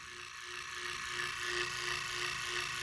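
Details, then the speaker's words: Leslie 147 bottom two-speed motor stack, fast motor, as-is before rebuild: fast fairly even mechanical chatter about three clicks a second with thin steady hum underneath; rough rattly running. "all right you hear that we gonna knock that on out well it ain't gonna be sounding like this when i get finished with it"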